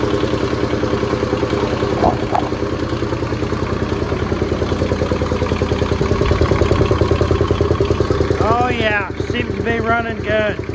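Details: Kubota T1600 diesel mower, hydrostatic drive, 530 hours, first start in years: even two-cylinder diesel clatter at a steady beat, holding speed without stumbling, picking up on throttle; running cleanly.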